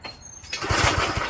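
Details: Old Craftsman tiller, small engine on choke; quick rope pulls give a few chuffing compression beats but it never catches, cranking no-start likely from an empty carb fuel bowl fed by a pickup straw.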